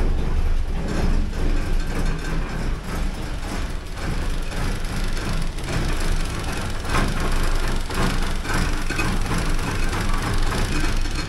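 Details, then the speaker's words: 1979 Porsche 924 on first start after a fuel distributor rebuild: uneven, lumpy low rumble that never settles into a smooth idle; runs rough. "And it starts. Doesn't run worth a shit, but it starts. I'll let it run for a minute or two."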